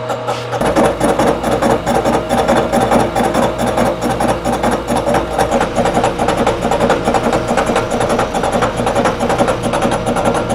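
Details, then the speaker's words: 3-inch face mill truing a warped Ford V10 exhaust manifold flange; rhythmic cutter pulses ring with a harsh, rattly mid tone throughout the pass: chatter from the overhung, unsupported workpiece, giving poor surface finish. "well i was not happy with the surface finish on this last flange"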